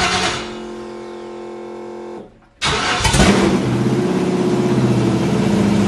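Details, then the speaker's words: Used 5.3 LS V8 in a 1955 Chevy Napco 4x4 clone, first start on new fuel system: about two seconds of cranking, pause, then catches into a loud, lumpy idle; hard to start, owner suspects poor prime from pump with filter ahead; torque converter not yet done. "I have to look into that I wonder if it's not getting a proper Prime could be because of the way my pump is I put a filter in front of it"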